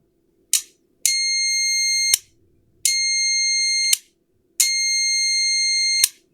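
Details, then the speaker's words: Relay third test, with 12 V from an adapter applied to the coil and multimeter continuity across the switch contacts: sharp clicks, each followed by a steady continuity beep about a second long. The contacts close fully, so the relay passes and is good. "Okay, this relay, guys, here pass the step number 3, means it is good."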